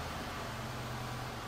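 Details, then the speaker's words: 2022 Ford F250 Tremor, 7.3 Godzilla V8, right after new spark plugs: smooth even hum at steady raised idle, no knocks or misses; healthy cold-start high idle. "Doesn't sound bad to me. It's got the cold start, high idle."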